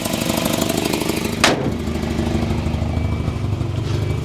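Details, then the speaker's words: 1984 Volvo 245 parts car, 91,000 miles, at idle: quick, even puffing tick over low rumble at firing rate from a bad exhaust leak; owner suspects a second leak in the muffler. "That's how bad that exhaust leak is. Sounds like there's another one in the muffler too."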